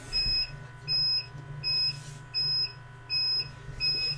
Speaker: I might be going the UPS switch I'm running off is complaining about low power now I guess these batteries aren't lasting as well as Hollywood